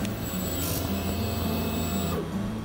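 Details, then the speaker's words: Champion 100485 EFI generator, fault code 13 check: engine switch turned to Run, a low steady electric hum runs about two to three seconds, then stops; the fuel pump is priming, confirming power to the pump. "then turn the engine switch to the Run position and listen carefully for the pump to run for approximately three seconds"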